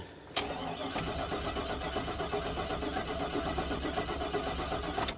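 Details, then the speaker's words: 1999 Chevrolet 1500 5.3 with 248,000 miles, crank no-start after the customer replaced battery and starter, no fuel pump heard at key-on: starter spins at a normal, even pace for about five seconds but never fires; cranks but no start. "let's see if we hear a fuel pump we do not hear a fuel pump let's see what happens when we try to crank"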